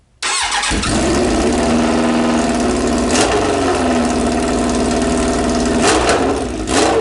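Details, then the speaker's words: Suzuki Bandit 1200 with no muffler fitted, carbs still needing work: cranks, catches and runs loud, raw and rough with a sharp bark and a few revs; open exhaust. "all right this is sound with no muffler on it"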